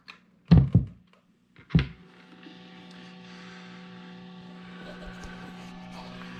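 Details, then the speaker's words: A new AC adapter powering an 18-volt guitar pedal produces a steady whining hiss and hum whether the pedal is on or off, stopping immediately when unplugged; 9-volt pedals on the same setup stay silent. "if you notice immediately we have this whining hiss I turn off the gear [Applause] it doesn't go away it's on or off if I unplug it immediately stops"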